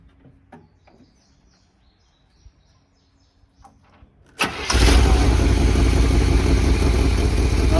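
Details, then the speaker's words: 1978 Chevy K20 4x4 Camper Special V8, sat outside 13 years, restarted after cooling down during cool/warm cycling to free rings: catches instantly and settles into a steady, even rumble; starts better, running healthy. "pretty amazing because it's been sitting long enough to cool down and it started like that it does seem better"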